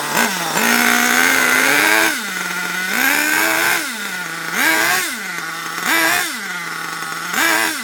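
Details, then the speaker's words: HPI Savage 21 nitro RC monster truck, old and long unused, after leaning the low-speed needle a full turn: revs rise and sag in uneven surges, stumbling and hanging between blips; still running rough, owner thinks it needs a proper drive. "uh yeah it's definitely not very happy still"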